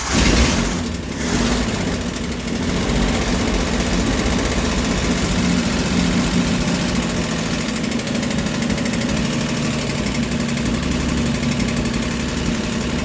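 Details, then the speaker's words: 1989 Jeep Wrangler YJ, carbureted, first run after 12 years sitting, with a new starter and battery: engine catches and settles into a steady, even idle with no misses or knocks; owner thinks old fuel in the lines needed flushing. "it runs I'm not sure exactly what the problem was before maybe it needed to flush the old fuel out of the lines or something like that"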